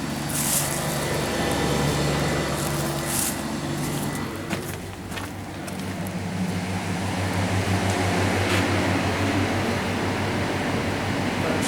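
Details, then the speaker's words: Refrigeration system restarted after pump-down while tracing RCD trips later found to be damp, water-filled light fittings: even low hum and fan rush with a few light clicks, no grinding or squeal; unit running normally. "We pumped it down. So that's why. So that's come on. That's running."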